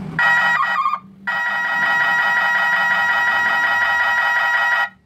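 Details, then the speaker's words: Three-sound 24 V truck reverse alarm with the yellow (brake) and red (reverse) wires joined: loud steady warbling electronic tone, briefly cut then resumed about four seconds, the combined reverse-and-braking sound. "Jadi kita gabungkan yang warna kuning sama yang warna merah kalau atraknya sambil ngerem"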